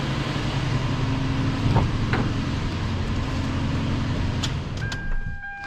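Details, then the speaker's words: 2000 Toyota Land Cruiser, 302,000 mi, after timing belt repair, bent valves feared: even, low rumbling idle, no ticking or puffing from exhaust manifolds, which typically leak at this mileage; a few stray clicks at end; healthy. "Wow, it sounds great. Wow, what a sigh of relief. This engine sounds really good. It's nice and healthy."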